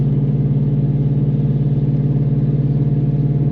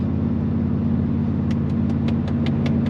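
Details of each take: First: Aftermarket-exhaust car in 6th gear at highway cruise: loud, deep, steady booming hum holding constant, so loud the driver can't hold a conversation or hear himself talk; exhaust drone. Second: Truck with MBRP exhaust cruising in high gear at about 75 mph on the freeway: steady low rumble with no booming drone building up, light taps on top; conversation is easy, no drone.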